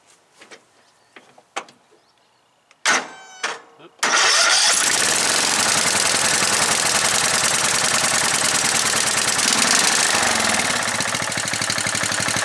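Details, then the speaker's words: Riding mower engine right after carburetor rebuild with ultrasonic cleaning, started with choke: a few cranking bursts, then it catches and settles into a steady, even low idle with no misses before going to high; normal start and idle. "That's low idle, sounds really good. Put it on high."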